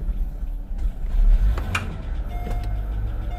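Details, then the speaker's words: Mercedes SL500 (R230) from flooded salvage, first start after fuse repairs: low engine rumble surging and dropping unevenly, misfiring and sputtering as it dies while backing up, out of gas; fuel starvation. "so let me just back it up a little bit oh i'm out of gas"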